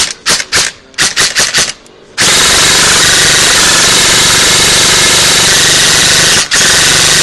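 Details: Echo1 Troy airsoft gearbox after installing a 16:1 speed gear set, reshimmed to one shim, stock motor, brick LiPo: crisp semi-auto shots, then an even high-rate buzz with no high pitch or grinding. The gearbox cycles normally.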